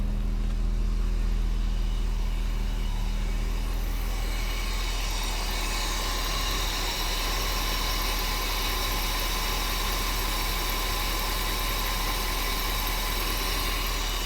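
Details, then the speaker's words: 1990 Mercedes 560SEC with new spark plugs and corrected plug wire order, air cleaner off: after start-up settles into even, steady, smooth idle with no stumble or miss; idle dropped from about 600 to about 450 rpm. "She is so smooth. Look at that. I love it."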